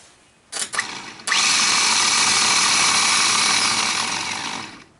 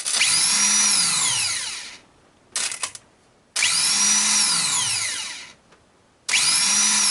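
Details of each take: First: Ford F-150 old starter bench-tested with solenoid bypassed, fed straight from battery: harsh, raspy high whir for about three and a half seconds instead of a smooth torquey hum; starter sounds horrible and worn, replaced with a new one. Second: Ford F-150, new starter bench-tested after old one sounded horrible: four crisp spin-ups, each a high whine rising then coasting down, smooth with no grinding. Normal starter operation.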